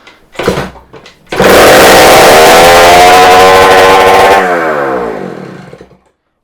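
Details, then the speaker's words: Yamaha DT100 two-stroke being recommissioned, started with exhaust pipe removed to diagnose a restriction: harsh open-pipe howl climbs and holds high revs then fades; runs much better, suspect restricted exhaust. "he seems to want to run a lot better I think he wants to run a lot better"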